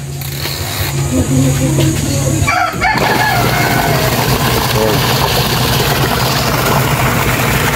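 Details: Noisy washing machine after a new gearbox is fitted and tested with water in: a steady, even low hum with no grinding or knocking and a rooster outside, so the new gearbox runs healthy.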